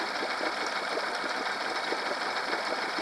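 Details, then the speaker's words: Honda 8 hp four-stroke outboard after carb cleaning for ethanol fuel problems: steady, even putter, idle rising to about 1600–1620 rpm as the motor warms, no misses or knocks; idling normally. "good speed for idling you know now it's up to 1600 you know I guess as the motor warms up and well speed up the idling speed"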